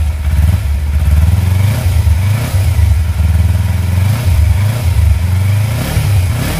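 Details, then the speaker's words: Kawasaki Versys X 250 at 10,400 km, started right after an engine oil change (about 2.2–2.4 L filled): steady, low, soft idle with an even beat and no ticking or rattle; healthy normal idle. "Sedap bunyi dia siot. Slow. Bunyi dia soft je kan."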